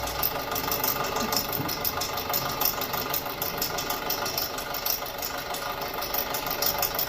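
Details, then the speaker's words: 2006 Audi A4 2.0T, long sitting, codes P0300/P0303, at idle: uneven lope about three beats a second with a skipping stumble; cylinder 3 misfire, rough idle. "Look at that, Misfire in cylinder 3. I don't know if you guys can hear this. We'll come up here, we'll see if we can hear it. But it sounds horrible."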